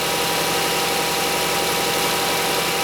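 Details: VW Routan (Chrysler Town and Country) 3.6L van with a hard or no start when cold, fuel pressure gauge fitted, now started: steady, even idle hum with no stumbling or dying; normal idle.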